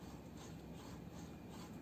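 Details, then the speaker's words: Yongnuo 42.5mm f/1.7 Micro Four Thirds lens, manual focus ring turned by hand; the ring is ribbed, fly-by-wire, with no hard stops. Steady dry scratchy rasp that turns evenly without jerks; the ring sounds dry and noisy. "Now the focus ring is nice and big. It's ribbed, but you can hear it sounds almost dry in there. Doesn't sound great."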